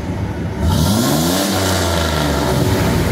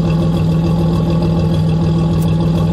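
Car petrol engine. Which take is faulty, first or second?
first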